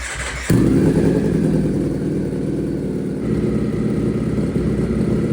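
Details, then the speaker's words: Wrecked 2024 Ducati Panigale V4 rebuilt as a dirt bike, first start on open headers: it fires instantly into a very loud, raw, crackling idle with a steady deep pulse, running strong and even. "this that sounds good that's crazy have you ever heard of bik that loud not like this"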